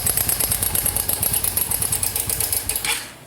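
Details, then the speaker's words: Honda Biz 125 2010 fuel-injected: a fast, sharp metallic tapping at a steady rate, loud from the top of the engine on the far side. Source not yet found. "Ele tá com um barulho muito forte do lado de lá, para a parte de cima."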